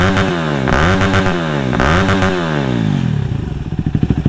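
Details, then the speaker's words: Yamaha WR250X that cut out under full throttle, after straightening a kinked fuel line under the tank; engine blips up and down cleanly without stumbling, revs freely and sounds healthy. "once I straighten that out started it up as you can hear it revved up freely"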